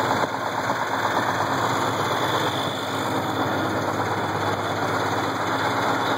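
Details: Case IH 1680 combine, 8.3L Cummins diesel, idling: uneven knock about two a second that started slow and worsened; timing cover removed revealed a cracked cam gear with missing teeth.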